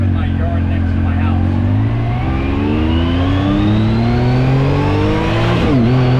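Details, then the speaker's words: 2019 Yamaha YXZ1000R SS side-by-side, 5-speed paddle-shift gearbox, neighborhood drive: clear whine climbing in pitch with road speed alongside the engine, dropping at each shift; normal gearbox whine. "So let's take this thing for a quick spin, just so you can hear the gearbox whine and see how fun this is. Like, banging of the gears is what makes it pretty awesome."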